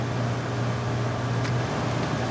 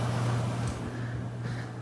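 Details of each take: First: 1981 Emerson 18,000 BTU window air conditioner, first start of the cooling season; steady low motor hum under airflow on low, less on medium; owner suspects worn felt motor bushings; fan motor hum. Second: Vintage installed air conditioner at its first start-up of the season: low, steady hum with an even airflow hiss and no rattles, blowing cold; normal running.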